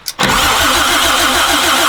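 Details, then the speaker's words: 1972 Toyota Land Cruiser FJ40 petrol engine, sat about 40 years, points ignition: starter cranks evenly but engine never catches; bad condenser suspected, not confirmed. Crank, no start. "all right hold on still nothing try it again all right still nothing I wonder if we have yeah it is I wonder if we have a bad condenser"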